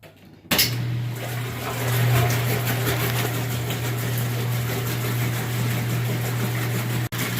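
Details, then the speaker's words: Top-load washing machine after motor coupler replacement, lid switch held down: steady low motor hum under sloshing water, even with no clunks or grinding; agitator working normally. "now when you turn it back on you should hear your a jeté tur agitating the water"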